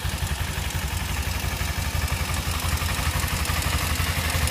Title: Kawasaki ninja ticking noise